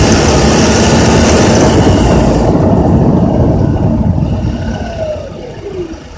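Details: Honda Accord with K24Z3 engine at 2200–3000 rpm: a loud, fast, fairly regular rattle of about four per second in the midrange that fades as revs drop; engine rattle, cause unknown.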